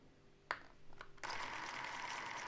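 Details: Krasnogorsk-3 cine camera after loading film with the lid closed, pressing the footage counter against the film: a click, then smooth, even whirring with no catching or stutter. Normal film transport.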